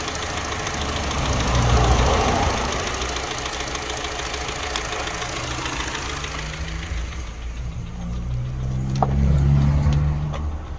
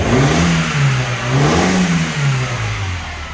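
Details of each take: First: Mini Cooper R56 N12 petrol engine with new plugs, good fuel pressure and coils, and timing verified: smooth idle, then knocking and stumbling when revved; misfire with knocking, suspected Valvetronic fault. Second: Mini Cooper R56 with N12 engine, after a fix: it revs up and settles smoothly with no more backfiring through the inlet. The loose sensor connector had its pins bent tighter and was reseated; fuel pressure, coils, plugs and timing had tested fine.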